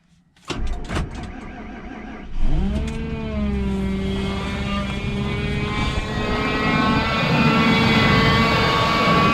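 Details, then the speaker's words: 2003 Ford F-150 5.4L, cold start at -23°C after sitting several days: starter spins, engine catches with a low drawn-out groan from the engine front for about 10 seconds, then settles; owner suspects power steering pump, maybe idler or tensioner pulley, unconfirmed. "so did you hear that it was kind of a groaning noise therefore I don't know what would that be maybe 10 seconds after startup like I say it kind of sounds like power steering pump to me"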